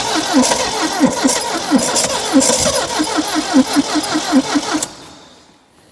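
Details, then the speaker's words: 1972 Triumph Dolomite 1850 barn find, off the road since 1990 (34 years): starter cranks about 2.5 beats a second with ragged half-catches that never run, no choke joy; fuel delivery fault, fuel pump seized and choke stuck. "okay okay so we definitely got a fueling issue we definitely have a fueling issue which is good"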